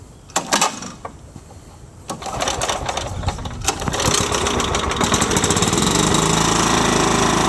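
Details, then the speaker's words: Ransomes walk-behind mower with a Kohler 14 hp engine, started with key and choke: a couple of pull-cord rattles, then it catches and settles into a fast, even chatter with no misfires; starts and runs well. "Just like that. So anyways, you can hear it runs well. Just gonna rev it up."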